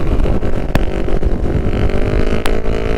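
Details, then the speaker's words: 2006 Kawasaki Ninja 500R first road ride after reassembly, shifting good though clutch suspected starting to slip; deep even twin drone at steady road speed over wind rush, no knocks or rattles: normal engine running under way. "First time on the road since he's gotten it. Sounds pretty nice, I think. Shifting good, sounds pretty good."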